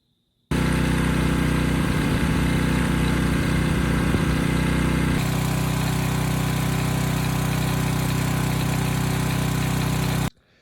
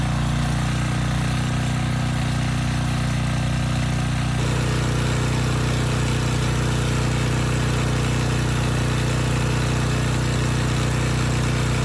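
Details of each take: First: Reference clip of a healthy Briggs & Stratton single-cylinder engine, not the generator under repair: steady, even chug at fixed governed speed, no knocks or misses. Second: Rebuilt 10hp Briggs & Stratton single swapped into a Storm Responder generator, brief test run without the stator heat shield: steady low thump with a light regular knock each revolution. The knock is not the tins as earlier suspected; cause unknown.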